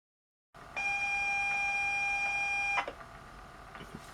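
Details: ZX Spectrum +2A tape drive after new belt and white lithium grease, still sounding weak: steady high-pitched leader tone for two seconds, then quieter data chatter; tape loads correctly, three of four tapes work.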